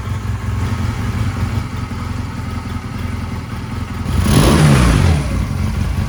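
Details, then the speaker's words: 1999 Honda Rebel 250, obtained free, before any servicing: even twin idle with a steady beat, then a clean rev blip falling back smoothly; runs and sounds good, owner expects it to clear up with fresh oil. "A free motorcycle that runs and it sounds really good. I'm sure it'll clear up and once you put some fresh oil and stuff into it, so."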